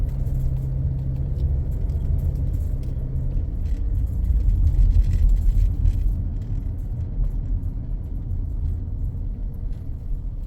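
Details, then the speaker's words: 2014 Ford Escape after engine mount replacement, road test with wheels cut, maneuvering slowly: low, even engine rumble, none of the earlier noise, no clunks at full lock; quiet, normal operation. "Alright, so wheels cut. None of that noise we heard before. Nice and quiet."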